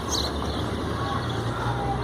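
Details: 18 kg digital Mabe top-load washer after transmission repair for excessive noise and water leaking at the transmission, in spin mode: a steady low hum, spinning smoothly with no grinding, knocking or rattling.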